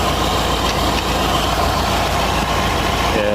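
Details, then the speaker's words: Fiat Palio with GM 1.8 engine (also called 1.6), idling with a busy rattly clatter from the alternator micro-V belt drive, traced with a screwdriver to the bearing or tensioner; car also misfires with injection light on. "a chave de fenda eu coloquei aqui no ouvido e ele tá vindo do rolamento ou do tensionador gente"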